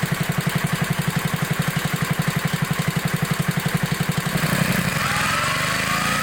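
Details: 1960s Bolens Lawn Keeper 28-inch mower, carburetor not yet adjusted, untouched at least 15 years: even single-cylinder thump near four beats a second, then smooth load change; runs clean, no miss or knock.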